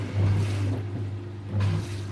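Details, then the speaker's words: Sewage lift pump in service, pulsing in surges as it pumps while two washing machines drain at once; a deep steady hum near a hundred hertz swells under the heavy load, pump running flat out, working normally. "Donc le bruit au début, il était assez important. La pompe, elle a fonctionné vraiment à fond."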